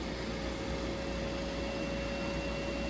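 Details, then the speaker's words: Munchkin Contender MC-50/MC-80 gas boiler firing on thermostat call after yearly combustion chamber cleaning with CLR and burner part service: soft steady rushing roar, faint constant hum, no popping; good spark, normal combustion. "now the gas is going through your system. There's your flame. Nice, good spark. Got combustion."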